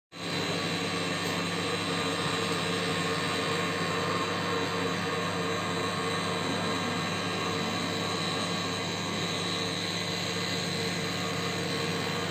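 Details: LG microwave oven, constant loud droning hum with steady tones from switch-on, unchanging; abnormally noisy, attributed to the turntable motor.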